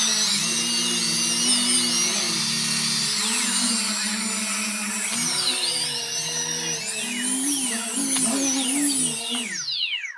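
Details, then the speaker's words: Home-built cheap quadcopter on the bench during receiver/electronics setup, tilted by hand to check accelerometer input reaches the motors; smooth high motor whine climbing and dipping with the tilt, even spin. Motors responding properly. "It's not really a good test, but I just find it comforting to do this before I try flying it to see that it's actually conveying the information that it's getting from the accelerometer into the motors."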